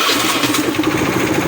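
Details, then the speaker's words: Honda Beat scooter seized from low engine oil, revived without engine teardown, started on the electric starter: quick, even putter settling into a steady idle; engine fires and keeps running, slightly smoky, still on old oil. "itu dia guys ternyata bisa menyala eh oke Memang agak sedikit berasap ya"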